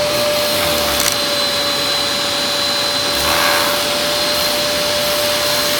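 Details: Dyson DC03 Absolute+ vacuum, brushroll part missing: even, steady motor roar with constant mid tone and airflow rush, no knocking or grinding; motor and brushroll spin normally.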